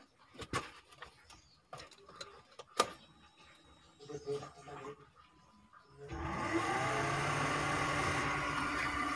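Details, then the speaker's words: Suzuki APV EFI overheating, radiator fan not working; with WTS coolant temperature sensor plug disconnected and ignition on: handling clicks then steady rushing air; radiator fan running normally, proving wiring, fuse and relay good. "ya terdengar ada suara kipas yang bekerja kita lihat kedepan"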